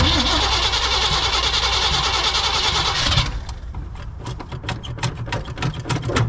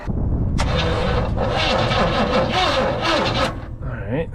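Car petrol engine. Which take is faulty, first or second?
first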